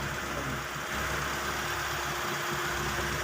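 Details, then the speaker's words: 1995 Mitsubishi Lancer "itlog" petrol engine, long stored and not starting, after fuel pump replacement (old pump delivered no gasoline despite power): now idles steadily with an even, smooth hum, no misses or knocks; carburetor still to be overhauled. "Maganda pong andar ngayon na-stock up lang siya"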